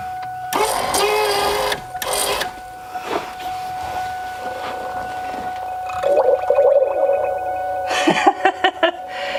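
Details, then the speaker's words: Ford Mustang convertible top hydraulic pump, cycling the top after new rams are installed: a steady pump whine with wet gurgling and bubbling. Air in the hydraulic lines being purged. "you hear that all the bubbles being pushed in there"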